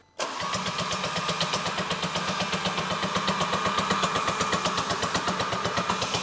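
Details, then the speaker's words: Audi RS3 8V, 2.5 L five-cylinder engine, sold with mechanical issues and turbo missing: starter spins fast and evenly, about four beats a second, no firing and no compression drag; no-start, timing suspected jumped with valves hitting pistons, fault codes stored. "based on the full codes and the sound of compression I'd say the timing on this car has jumped and caused the valves to hit the Piston cuz it went out of timing"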